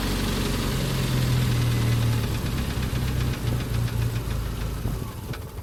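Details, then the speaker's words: 1988 Jeep Comanche, 2.5L Renix I4, after an ECU reset by disconnecting the battery: it catches and runs with an uneven, lumpy beat, then sags and dies within seconds; owner suspects the TPS is misadjusted, unconfirmed. "Well, now it starts, but it doesn't want to idle. It never ends. It could be that the TPS isn't adjusted properly."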